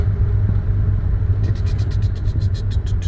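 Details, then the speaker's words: Subaru Forester STB on a test drive after rebuild, heard from inside: faint quick ticking about seven a second from behind over road rumble, fading as the car slows and gone at low speed; suspected exhaust pipe rattle, unconfirmed. "Get slower as you get slower. Now there's no ticking."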